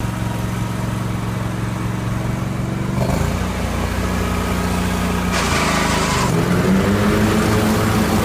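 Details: 1980 Jacobsen Turfcat 60-inch mower after PTO shaft repair and regreasing: steady engine hum with one smooth rise in speed partway through, no knocks or misses; runs evenly and sounds healthy.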